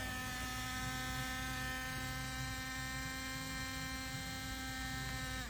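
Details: Laptop, i5 10th gen, with CPU at 100% idle: loud steady buzzing hum and high whine from the cooling fan, which barely spins properly and keeps running after shutdown, dropping away as it spins down; worn fan bearing, fan to be replaced.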